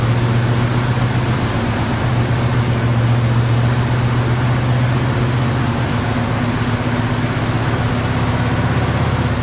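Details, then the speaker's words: 1974 AMC Javelin just started after valve cover gasket replacement: steady fast idle stays high and won't settle because the choke is stuck on, the brass heat riser fitting/coupling having been left unhooked. "all right we noticed um when we got the car started that um the choke was staying on so this little heat riser thingy majiggy here was not hooked up"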